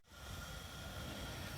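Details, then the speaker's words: Home-built gas pottery kiln, first biscuit firing, past 500 degrees with flue steady and flame still yellow; valve opened a small wedge of a turn at about 5 psi (under half a bar): steady, even gas roar, no sputter or popping, normal burner roar. "you can hear the increase in the temperature increasing it what output so I've given that a small wedge of a turn"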